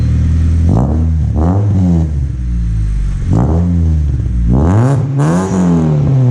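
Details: Honda Civic after stock muffler replaced with aftermarket muffler, adapters and welded hanger: deep, loud, raspy blats on four or five quick revs, far louder than stock.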